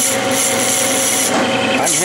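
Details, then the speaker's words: Parting off a brass bearing with a cut-off tool on a Clausing lathe, hand-fed rather than power-fed because the tool wants to grab. A steady high scraping hiss turns into a chattering rise near the end as the part nears separation. "feeding this this is this isn't power feed wants to grab this is brass you know you'll hear is squatting we're getting close"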